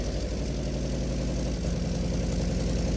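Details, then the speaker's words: NA Miata with BP4W engine swap, first start, idling with no throttle after a slight cam adjustment, exhaust manifold not fully attached; steady, even low idle with no misses; normal idle. "No throttle on it at all. This is it just idling. It's like perfect. It's idling 100%."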